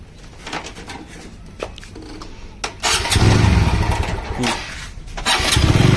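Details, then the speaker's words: TVS Apache RTR 200 4V, 38,474 km, before timing chain replacement: engine idles with fast light tak-tak tapping, about four per second, over the exhaust; worn timing chain. "देखो guys, ये sound है, ठीक है। ऐसी आवाज़ आती है टक टक, ठीक है। तो आप समझ लेना कि टाइमिंग चैन गई आपकी बाइक की, ठीक है।"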